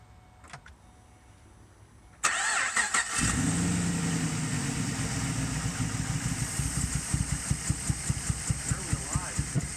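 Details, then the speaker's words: 2008 Pontiac G8 GT V8 at idle, fine the day before: uneven, lumpy idle with a pulsing shake as if dropping cylinders; it smooths at 2000 rpm, and a check engine light came on later. Owner suspects a dirty MAF, throttle body or throttle position sensor. "It's got a little bit of a shake to it, and it feels like it's not running on all cylinders."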